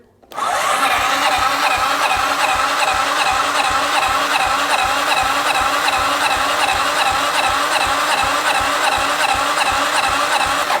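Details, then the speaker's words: 2009 Arctic Cat DVX 300 single, long stored, cranked with the carburetor removed and the solenoid jumped: a quick, even whir with soft compression pulses. Only 50 psi of compression, where the manual reportedly calls for over 200. "Well, that's not that's definitely not good. Uh a whopping uh 50 lbs of compression. That's not good at all."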